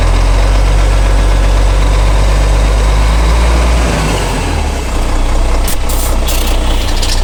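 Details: Transmission noise at idle: heavy idle rumble with an uneven pulsing of about four beats a second from the driveline; abnormal transmission sound, cause unknown.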